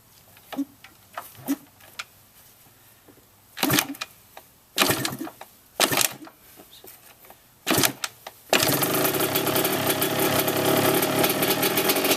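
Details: Yamaha YZ125 two-stroke, first start after rebuild with a new top-end kit; several failed kicks with short pops, then it fires and holds a crisp, even, buzzy idle to seat the rings; normal idle.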